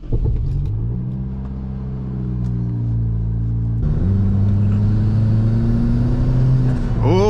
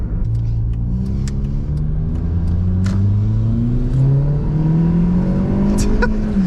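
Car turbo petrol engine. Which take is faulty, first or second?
second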